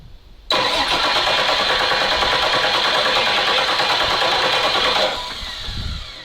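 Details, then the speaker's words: Abandoned ZIL-4975 truck with a CASE 6TA-830 diesel engine: a steady, even starter whir for about four and a half seconds that stops without firing. This is deliberate cranking to pump oil through and build pressure before starting. "Сейчас попробуем прокачать масло и потом запустим его."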